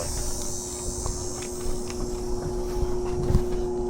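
Steady electrical buzz from the outdoor unit with no fan or compressor spinning up; typical of a failed capacitor.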